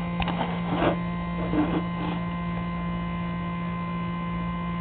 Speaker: few weeks ago my Wii started making this really weird noise whenever I put a game in